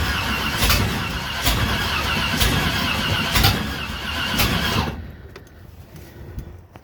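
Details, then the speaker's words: 1967 Corvette V8: uneven cranking bursts roughly once a second, sputtering without settling into a run, then quits; hard starting as new lifters had not yet pumped up with oil pressure. "That doesn't sound right. I am not liking this at all."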